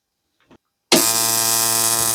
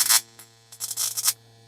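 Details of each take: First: Replica (Nachbau) Simson/MZ ignition coil on a Bosch spark-gap tester gives a sharp, even spark crackle, strong and steady at 10–12 mm with no dropouts. Misfires begin only at 13 mm, stronger than the original DDR coil. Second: Original Simson/MZ ignition coil on Bosch spark-gap tester at gap setting 11: sharp buzzing spark bursts over mains hum with dropouts, spark weakening; at 12 barely fires with misses.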